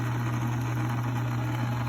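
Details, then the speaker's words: Logan lathe after rewiring with a paddle switch and adjusting the shaft to ride fully in both bearings: a steady low hum with no knocks or rubbing. It runs smooth. "Uh, well, let's fire it up. runs smooth"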